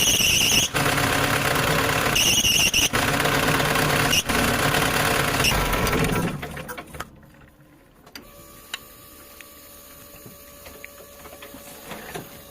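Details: Loud high steady squeal over running engine for several seconds when steering is turned, then drops off; slipping belt, probably power steering belt.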